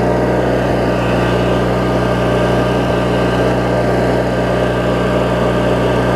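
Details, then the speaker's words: Craftsman riding mower, 19.5hp Briggs opposed twin, after governor, idle speed and carb repair: steady, even low-rpm hum with no misses, surges or knocks; normal idle, owner thinks speed is on the threshold of slightly fast. "I think it's right kind of on the threshold sounds great though when it's running"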